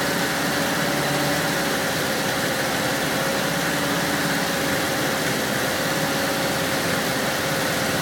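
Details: 1978 VW Westfalia with hard starting, after stalling twice, started a third time with gas: a steady, buzzy idle hum with an uneven, unsettled edge and no clear knock; rough idle.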